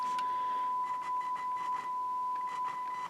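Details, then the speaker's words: Sansui R-606 stereo receiver: steady test tone turns scratchy with crackling bursts and dropouts as the speaker switches on the power switch are worked, distortion in both right and left channels; dirty switch contacts carrying speaker current. "And you can see as I manipulate the switch, it causes distortion in the right channel. and in the left. Both these switches are bad."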